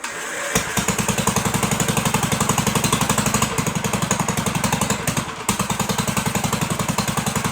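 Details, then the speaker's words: 1958 Gravely Model L walk-behind tractor, sat for over a year, first run after fuel restored and needle valve opened, throttle not yet hooked up: single-cylinder chuffing about four beats a second with brief dropouts, big hole in muffler; rough running. "But it did run. Sounded pretty good. It's got a big hole in the muffler."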